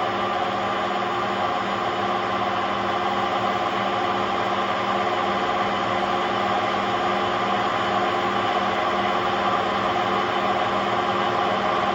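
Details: Hotpoint Aquarius WMA50 washing machine: constant droning roar with steady whine while the drum turns, no let-up; bad drum bearings.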